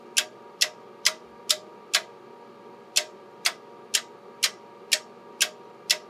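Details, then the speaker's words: Würth Elektronik pulse tester applying pulses up to 100 A, 8 ms length, to soldered SMD ferrites; crisp relay clicks about twice a second over a faint steady hum as each pulse passes through every part, normal operation. "let's start the software you can hear the clicking sound that's when the pulse is going through every part"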